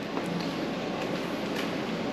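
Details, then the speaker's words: Kia Forte with hydraulic power steering, Hyundai/Kia 2.0/2.4 alternator, removed and spun by hand: rough gritty rumble, no clean whir. Worn alternator, replaced with Mando unit. "And you could just hear how bad this alternator is."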